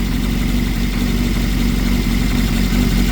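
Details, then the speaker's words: Nissan Pulsar GTI-R (54C engine) warm idle after reshimming valve clearances: steady deep even note, maybe one or two valves still slightly ticking, gearbox rattle audible; much less rattle than before. "That's warmed up. Maybe one or two slightly. Still slug, but you hear the gearbox rattling about."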